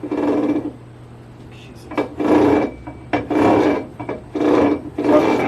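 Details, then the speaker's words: Ford 9 inch rear end with a new spool and ring and pinion, during backlash/preload setup: hand-turning the ring gear gives repeated half-second rasping scrapes. Backlash is close, yet something is hitting; scraping contact noise, location unknown. "Something's not right. I don't know what we're hitting, where we're hitting. Even though the backlash is close, it sounds like something's hitting something."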